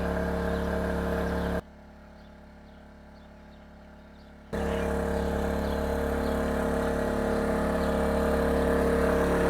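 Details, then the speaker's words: Oxseryn 2500 W inverter generator (1800 W running) loaded with a 1500 W heater at about 1425 W, heard from roughly 25 feet; steady even mid-pitched hum, no surging, normal running under load. "Hear how quiet that thing is. I'm talking normal, I'm not shouting."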